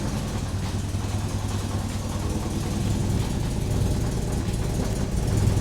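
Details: 1986 Porsche 944 Turbo after an engine reinstall, which had blown white smoke and wouldn't run because of a faulty open-circuit DME temp sensor, now running after the sensor was replaced. Smooth, even rumble, no misses, no smoke: normal running.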